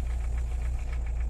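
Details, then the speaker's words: VAZ 2103 petrol engine after valve adjustment fixed a loose valve adjusting bolt that caused knocking; even idle around 900 rpm (850 with lights on), low rumble, light regular tick, runs better. "Ну еще Давайте по привычке мотора теперь не слышно А едет он лучше За что мы и боролись"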